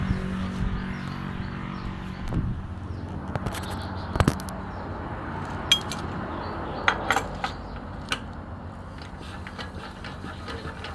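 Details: ET110 single-cylinder engine after a rebuild with a reground crankshaft, fixing white smoke when revved, at idle: steady low thump with hand claps over it, runs evenly, no miss or rattle; the smoke is gone.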